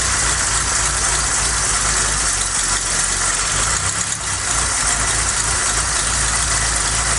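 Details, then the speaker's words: Ford Cortina Mk3 Estate with carburetor refitted, new vacuum pipe, gasket suspected worn: uneven, lumpy idle about three beats a second under a hiss, smoky; running rough, cause unclear, before the carb rebuild kit. "hmm still not quite right something definitely not right here oh smokey"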